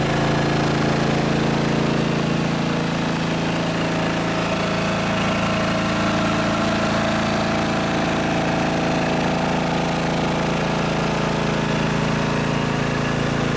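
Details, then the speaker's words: Riding mower after fitting homemade quiet exhaust with added piping: steady, even low thumping run, more thump than rattle, no surging; smooth, fairly quiet normal running. "But yeah, I think it's pretty quiet comparatively. Yeah, even in the back here where the muffler is actually exhausted, is pushed out. It's more of a thump than it is a rattle."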